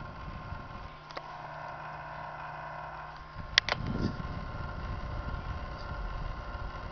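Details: Computer power supply unit making a steady low hum with thin high whine, then rougher noise; ran about an hour then stopped, dust cleaned out, owner worried about overheating; abnormal PSU noise, cause unclear.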